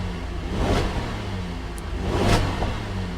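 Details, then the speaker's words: Salvage auction car, cold engine, light throttle to about 2,500 rpm; two smooth blips rise and fall cleanly with no knocks, rattles or hesitation; normal engine revving. "I'm just gonna give it some throttle make sure we don't have any funny noises see it's only 2,500 rpm"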